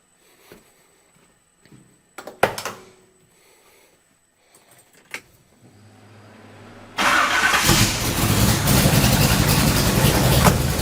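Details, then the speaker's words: Vintage Ford highboy truck, big V8 with 2-into-1 3.5-inch exhaust: short crank catches into a loud, deep, lumpy idle with an even beat and good tone; owner finds the exhaust too loud; loud exhaust with choppy idle. "So it has a really good tone to it, really choppy idle. I really like that."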